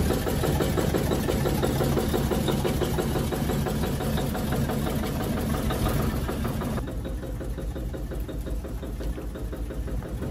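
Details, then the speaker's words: 1953 Chevy truck, running again after new fuel tank, fuel pump, tune-up, radiator and water pump: rough, lumpy low running with a steady knock about three per second as revs pull down in gear, absent out of gear; engine knock under load, cause unconfirmed. "i'm listening to this motor on the car and uh when i put it down in gear it seems like it gets a really bad knock on there but you know not out of gear it doesn't it's like when it pulls down the rpms and it's just like you know got that sounds like a knock"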